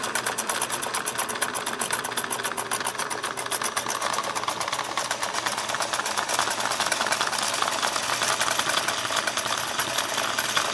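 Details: Singer 401A sewing machine sent in for motor and gear work, running with lid off: fast whirring with a clattery, uneven tick over it, running rough and not at all as it should.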